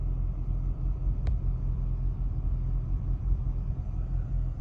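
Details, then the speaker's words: 2000 BMW 328Ci after replacing ripped air hose and spark plugs: steady low idle rumble with slight uneven pulse and a little vibration; rough idle, cause not pinned down. "It's working better, but it still vibrates a little. Something's not right, a little."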